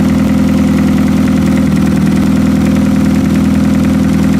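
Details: Demolition derby car engine fitted with a push start, old fuel drained, oil bypass working and oil filter deleted; a loud, steady idle with an even throbbing beat, no knocks or misfires, and no leaks.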